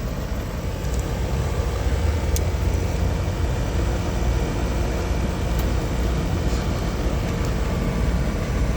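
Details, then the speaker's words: Outdoor AC condenser after replacing a bad capacitor, near 100° outside: steady low hum and whoosh, compressor drawing 4.02 A and fan 0.56 A, running normally. "everything is running just checking my amps on both of my Motors outdoor fan .56 compressor is at a 4.02 cool cool"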